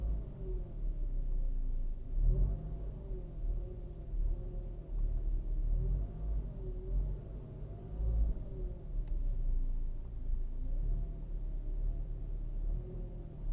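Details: 2013 Toyota RAV4 with engine running: thin mid-pitched whine rising and falling with each throttle blip; alternator, pulleys and pump checked okay, source unknown; engine whine.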